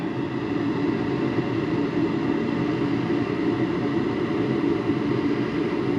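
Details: Garage heater converted from natural gas to propane, during the manifold pressure test with the manometer at 10: steady even roar, no flutter, pulsing or rumble; burner firing cleanly on a stable flame.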